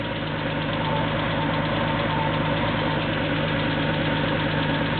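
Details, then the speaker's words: Porsche 911 2.7 L flat-six, early S cams, twin plug, 46 mm PMO throttle bodies, Tec3 engine management, initial startup before throttle body synchronization: steady, slightly raised idle with an even, busy mechanical patter; normal fast idle just after a cold start. "we're doing pretty well so far this here the idle speed kick up a little bit first starts up and run"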